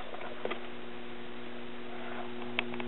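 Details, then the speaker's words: Late-1960s Pioneer SX34 tube stereo receiver with 12AX7 driver tubes swapped and ruled out; low steady mains hum with faint overtones and light hiss in one channel; noise later traced to a resistor; hum in one audio channel. "i did a little bit closer listening test that channel has a little hiss in it this channel"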